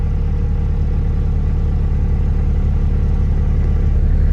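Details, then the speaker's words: Acura RSX, manual, 128K, after radiator replacement with coolant filled and air burped, starting to warm up: low steady idle rumble with no hunting or surging; runs good, check engine light only for cat exhaust. "so it seems to be idling good. Sometimes you get that idle surge. It's not surging, so that's good."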